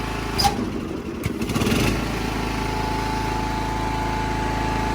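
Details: Classic Husqvarna lawn tractor bought at auction, started by jumper wire during an electrical repair: after some clatter at first, the small single settles into a steady, even rev with no knocks or misses; healthy.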